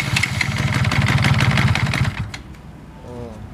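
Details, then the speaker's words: 2003 motorcycle at idle: steady knock about three to four times a second over the engine note; bent crankshaft causing impact between gear teeth, with play on one side. "ini askrop ada yang bengkang dan jadi mengakibatkan adanya tumburan antara kendor di bagian gigi temu ini sama ini. Jadi terjadinya ada benturan tekanan jadi terlalu kuat sehingga mengakibatkan adanya bunyi ngotak-ngotak ketika kita lagi langsam ya."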